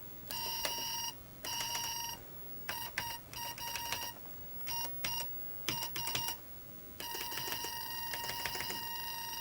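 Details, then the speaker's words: Early-1990s Microbyte HC120 XT-clone computer booting after minor repairs, with a noisy hard drive: repeated bursts of a high, steady beep at irregular lengths, the keyboard buffer alarm from a stuck key. "There we go. We seem to have a stuck key."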